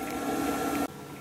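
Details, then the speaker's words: Fan on an air solar collector under polycarbonate, sunny mid-November day, blowing warm air from outlet pipe: smooth even small-fan hum with soft airy rush, then stops abruptly; fan running normally. "Warm air is blowing from this pipe, and it blows decently! Super fan!"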